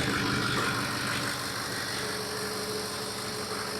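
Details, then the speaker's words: Ford 6.0 Powerstroke diesel idling steadily with an even regular clatter and no misses or knocks; the engine fires right up and sounds healthy. "Just listen to how much better this one runs, or the fact that it does run. Woo! Fires right on up."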